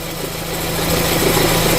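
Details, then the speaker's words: 2013 Renault Fluence with a cold engine, A/C on and in Drive: a steady low hum at idle. Pressing down on the belt tensioner stops the noise, pointing to a worn belt tensioner. "Liguei o ar condicionado engatei o carro um drive tá ar condicionado ligado geralmente vai fazer com o motor frio esse barulho aí"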